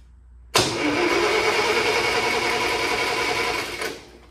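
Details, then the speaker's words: International 140 Industrial tractor hot-wired, key switch bypassed: starter cranks the engine evenly for about three seconds but it never catches. No spark; owner suspects the junction block stud through the distributor is grounding out, the distributor, or a bad condenser. "we've got something grounded out either my my Junction block stud that goes through the Distributors is grounding out or we got a distributor problem"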